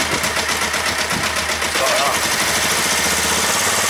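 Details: Kawasaki ER-5 twin after valve clearance check and head reassembly, new plugs correctly gapped: uneven stumbling idle, massive thumping, right-hand cylinder intermittently dropping out; owner suspects ignition coils or carbs.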